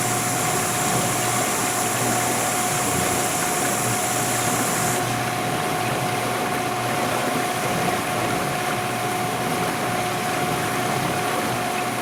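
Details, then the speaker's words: 1991 GE Potscrubber dishwasher, first full load, water draining out before main wash: even steady hum with constant mid tone and smooth water rush, no knocks or grinding; normal pump-out and rinse. "that's what it is when the water drains out"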